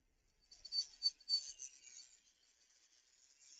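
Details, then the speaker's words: Triang 0-4-0 model train locomotive on full power, barely moving during servicing: thin high-pitched squeal in short chirps, only in one direction; front motor bearing suspected dry, needs oiling. "So that's on full power and it's barely moving. I can hear something screeching though, which doesn't happen in the other direction. So maybe that suggests a bearing needs to be oiled."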